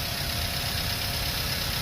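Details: 2009 Toyota Avanza 1.3 G manual, 6,400 km, dealer-serviced, idling with radiator cap open: even steady low rumble and faint fan whir, no ticking or knocking; no coolant bubbles, healthy.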